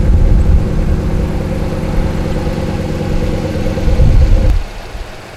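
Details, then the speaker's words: Ram 5.7 Hemi truck after Hemi tick, with newly installed Jasper replacement engine; deep steady V8 rumble, smooth even beat, no ticking, then a blip and fade; normal running. "She growls, baby. This engine is no joke. Jasper makes a fine engine, and man, when I hit that pedal, this is a completely different truck."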